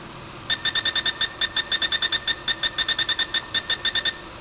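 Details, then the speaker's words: C6 Corvette tire pressure sensor triggered with a simple TPMS tool (Bartec trackside type): quick run of sharp high chirps for about 3.5 seconds as sensor sends ID and pressure; sensor working. "when the uh the C actually sent its ID number and pressure and so on out uh you could hear that chirping sound from the the um uh tool"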